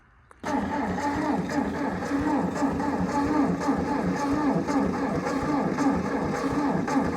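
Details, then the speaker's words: Old Ford Jubilee half-track tractor, sat five years in a field: cranks slowly and unevenly, about one beat per second, with no firing. "Well, it's not getting something. Want me to hit the key? I don't know if I actually have enough ether left."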